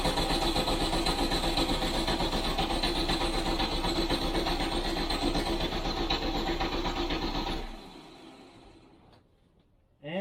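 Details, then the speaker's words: Classic VW Beetle flat-four after engine strip and check-up and reinstallation, first start after oil pressure came up, before carb balancing; smooth, regular chuffing with no ticks or exhaust puffing; normal idle. "sounds pretty good actually sounds uh sounds like it doesn't have any exhaust leaks which is a relief"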